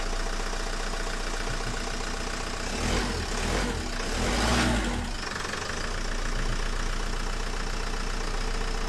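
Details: 2010 Renault Megane 1.9 dCi diesel after a crank-no-start breakdown, code P0090, running again during fuel solenoid valve testing: steady, even idle with no knocks or misses and a brief louder swell midway; fault traced to a bad wire.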